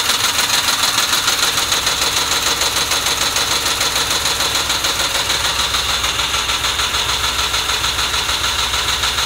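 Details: 2006 Ford Mustang GT V8, warm idle after warm-up: steady, fast pulsing beat with a slightly lumpy, uneven feel; rough idle, cause unknown.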